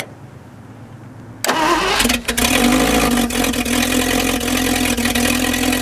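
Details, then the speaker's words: Straight-8 (Packard or Buick, pre-1955) engine revived after valve and seat grind, cold day: catches after short crank, settles into fast slightly uneven smoky idle; idle set too high, being dialed down. "got a little too greedy with the idle oh I trying to dial it right down proper 200 rpm"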